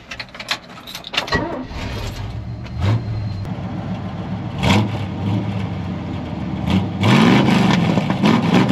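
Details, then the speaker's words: 1970 GMC 1500 with a 350 V8, headers, two-barrel carburetor and small mufflers, fall weather: short crank, catches cleanly, throaty smooth idle and even throttle blips; a healthy engine. "so sounds good though the engine runs nice and smooth just sits there and prayers all day long"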